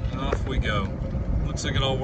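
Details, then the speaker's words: Club Car DS golf cart cruising after the front leaf spring bushings were replaced. A steady low drive rumble and smooth motor hum, with no rubbing or squeal; the front suspension now rides quiet. "look at that no noise it's not rubbing the wheel so that is exciting"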